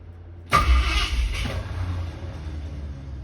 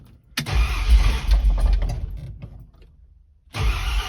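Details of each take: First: Ford Torino with headers, starter before replacement: starter whirs, engine catches briefly then fades with a rough grind as the Bendix starter gear kicks back out of the flywheel; intermittent, sometimes long to start. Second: Ford Torino with long-tube headers, after fitting a new mini starter: short crank stops, second crank catches quickly and settles into a strong steady run with some revving, started without choke; starter cranks fine.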